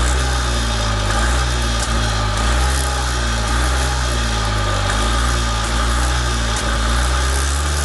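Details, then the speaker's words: Columbia Parcar golf cart engine idling on a temporary tank, its tank fuel rancid: steady idle with a slow, gentle rise and fall every second or so; runs normally. "Anywho, alright, so there's life. That's good. That's good. Very good."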